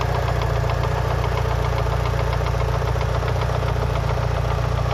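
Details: Mitsubishi Lancer Evolution VI 4G63T during warm-up at 75-80°C oil temp after a track day: crisp regular tick-knock about three per second at idle, loudest near cylinder 1 top-end; silent cold, quieter fully warm; lash adjusters bled without improvement; rod knock or lifters unclear.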